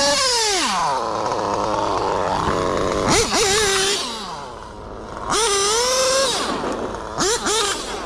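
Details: Mugen MBX8T nitro truggy with modified OS 28 XZ engine and Hipex 2095 pipe, high-end tuned lean, about 40,000 rpm: a high, clean scream rising and falling with throttle blips, running strong despite a worn, skipping rear differential.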